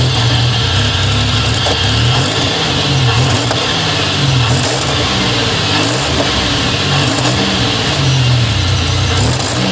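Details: 2000 GSE on a cold morning start: uneven, stumbling idle with occasional sharp backfire pops and audible injectors; misfire with no codes, goes away once warmed up.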